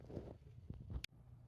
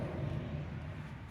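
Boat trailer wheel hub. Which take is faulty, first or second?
second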